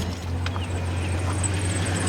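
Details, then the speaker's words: 1987 Chevrolet S10 pickup warming up at low idle; faint thin chirp riding high above the engine now and then from one of the belt pulleys, exact pulley not yet identified. "So I'm pretty sure you can hear that, that chirping. That's what I was talking about with the, I'm not sure which one of these pulleys is chirping yet."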